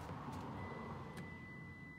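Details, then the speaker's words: 2013 Lexus RX350 with 156,000 miles, power liftgate with new struts and good pinch sensors: trunk unlocks but a single long high-pitched beep sounds and the hatch stays shut; power liftgate warning beep. "the issues are we try to unlock it and we unlock the trunk and you hear that long beep"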